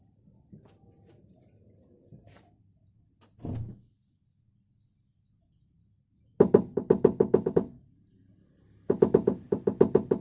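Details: Toyota Avanza, rear cabin knocking on uneven roads, simulated with rear door closed: two bursts of quick hollow knocks from under the rear as the loose exhaust clatters against its worn, stretched rubber hanger.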